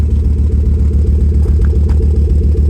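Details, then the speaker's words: Volvo 850 R five-cylinder petrol engine idling evenly after repairs and timing belt work, with no knocks or misses; owner plans to check the oil for coolant mixing. "There we go, a little bit more. Sounds good. Gonna let it idle for a few minutes, then check the oil."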